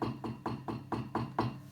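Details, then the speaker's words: Vox AC30HW2 / Fender Vaporizer amp, used EL84 power tubes being tapped: six sharp taps about four per second, each ringing through the speaker with hollow boomy tone; microphonic power tube, only one of six EL84s good, fix is replacing tubes. "so that sucks you know imagine you're playing guitar and this [ __ ] noise is just coming through all the time"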